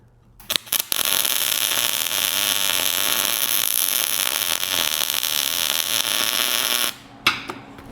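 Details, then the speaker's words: MIG tack weld on square tube for wrought-iron yard sign: crisp, steady bacon-fry crackle about six seconds, no popping or spatter bursts; correctly set weld. "You hear the sound of that weld? That's what it's supposed to sound like."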